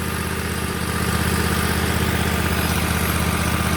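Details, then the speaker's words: Bradley mower after replacing broken belt-tightening mechanism and belt (about an inch of play), blades on: steady even engine note, smooth regular firing, no knocks or belt squeal; normal running. "And guys, if you know anything about lawn equipment, when I turn that on, you know how it's supposed to sound. And that's it. It's on there. It's ready to roll."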